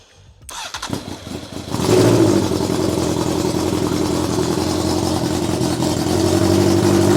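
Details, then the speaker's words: Honda Fireblade motorcycle engine in a kei truck, running without coolant: it catches after about two seconds, then settles to an uneven, hunting tick-over with some smoke; it idles poorly, owner suspects air box seals or the carbs. "there isn't really anything obvious that I can see that is stopping it from ticking over better it's probably just this a box old bikes"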